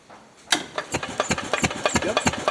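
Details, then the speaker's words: 1977 Harley-Davidson golf cart, 250 two-stroke, sat for years; key switch bypassed by jumping dash wires, now cranks with spark; engine spins with steady chuffing beats, about five or six a second, but never catches; cranks but won't start. "i just jumped them together and that and then when i hit the pedal it started clicking and then now we got it turning over and we even got spark take a look"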